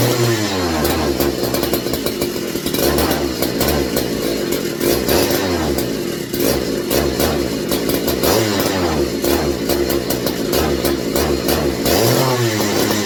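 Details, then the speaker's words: McCulloch MC49 chainsaw on a substitute 090 carburetor, strong blue spark: two-stroke buzz surges then sags instead of holding high revs; owner first suspected ignition, then fuel starvation from the carburetor, unconfirmed. "I've got Spark all the way through the pole and everything beautiful blue spark but when the RPMs go up it's dropping off"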